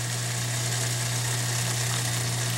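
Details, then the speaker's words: Kenmore Elite HE3t washer (model 11049962603, ~2009) with Sud and F21 error codes, draining into a bucket. Steady low drain-pump hum under rushing water; the pump works and nothing is blocked. The actual fault was a plugged pressure switch air trap. "they can hear the little pump down there she's a running she's still a runnin you know but gushed out of there for a while I wouldn't say anything's blocked"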